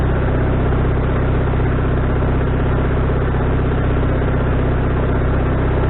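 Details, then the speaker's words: Wood-Mizer LT40HD sawmill engine with a newly replaced carburetor, mixture screw set three turns out, not sawing: steady, even low drone with a regular beat, no surging or missing; owner thinks the tuning is now where it should be. "I think that might be where we want it uh anyway I'm getting an hours to kind of log up to see how it runs"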